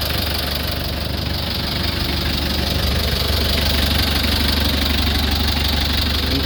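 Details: 2003 Mitsubishi L300 Solar idling rough with a loose, chuffing knock about three per second over a deep rumble. Heavy blow-by, described as needing an engine overhaul; worn rings suspected, not confirmed.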